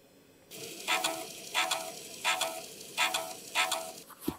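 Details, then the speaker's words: 5.25-inch 1.2 MB floppy drive in a full-tower PC: scratchy seek-and-read bursts repeat about every 0.7 seconds as it fails to read a disk formatted as 360K. "I don't know if you could hear that, but it's making some awfully strange sounds. So this drive is a 1.2 megabyte drive, and it can't read this disk, which was formatted as a 360K drive, which I thought you could read."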